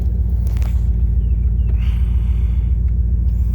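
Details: 1998 Dodge Durango single-cam V8 at about 285,772 miles, warm idle at operating temperature after timing chain, coolant, oil and filter replacement for a P0300 misfire. The rumble is smooth, even and low with no ticks, knocks or stumbles, and sounds healthy.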